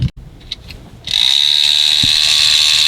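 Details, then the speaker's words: 2009 Mattel Trackmaster Thomas toy train, first run on fresh batteries, starts with a loud, shrill, high-pitched motor whine and buzzy gear rattle: a noisy motor and gears. "that's really loud engine so if you see it's really noisy"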